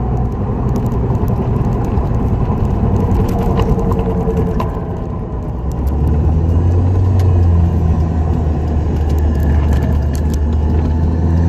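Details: 2004 Dodge Neon SRT-4 driving: low droning growl under road rumble that swells with speed, with a rough grating edge. Bad wheel bearing.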